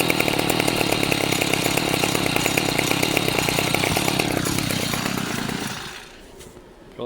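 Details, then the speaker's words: Stihl FS 55 C trimmer, labeled won't start; plug was fouled and cleaned, it bogged and wouldn't idle, then fresh fuel added: even buzzy two-stroke beat, winding down smoothly; now idles better, normal idle. "Now I'm going to run it uh kind of like full tilt. Uh but it seems to idle a little bit better"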